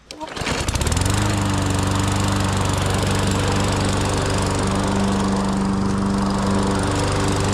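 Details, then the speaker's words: Toro GTS 140cc mower that would not start after sitting over the winter, now after a carburetor clean-out: it starts within a second and settles into an even, steady drone with no stumbling or surging. "Let's see if that carb clean out actually fixed it. All right, let's see. Guaranteed to start, huh? There we go."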